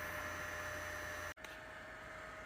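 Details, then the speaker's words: HP 8116A function generator, new 2-wire fan replacing original Buhler fan, after tidying wiring that was rubbing the blade: soft, even whir with faint steady whine, no scraping or ticking; much quieter, works great. "that sounds much better and uh I clean the wiring up a little bit I should have made it a little shorter honestly uh but um that is so much quieter and it works great"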